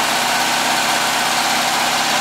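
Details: Flat-four at a cold start after sealing an exhaust leak near the #2 exhaust port with silicone (old donut gaskets) and adding a baffle: steady, even running with no puffing or ticking; normal idle.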